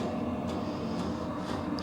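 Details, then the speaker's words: New diesel heater in a hunting blind, burning in with some packing oil smoke from the exhaust, heard indoors: low steady fan hum with faint fuel-pump ticks about twice a second while priming; normal, quiet enough for a dog to sleep. "I mean I can definitely hear it in the room but I don't think it's Extremely Loud there's quite enough a dog can sleep"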